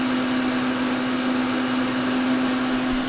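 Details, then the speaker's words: Rpod trailer propane furnace under the bed, thermostat turned up above about 65 °F ambient: blower fan comes on with a steady, even mid-pitch hum, no rattles or scraping; normal furnace blower running. "The furnace is located under the bed, and you'll hear the fan come on shortly."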